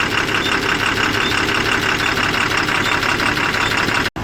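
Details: Tata 3118 BS4 Cummins diesel with SCR after injector repair, previously knocking and smoking: steady idle, even beat about three per second, no sharp tapping; knock gone, engine healthy.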